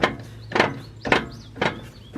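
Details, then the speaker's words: 1996 Ford Bronco rolling down the road: sharp rhythmic knocking/ratcheting about every half second, galloping, from a factory automatic front locking hub half engaged; fix is swapping to manual Warn hubs. "What's happening is that hub's halfway engaged and you're getting that ratcheting sound and and it's not bad in the truck. Like going down the road, I can I can kind of hear it."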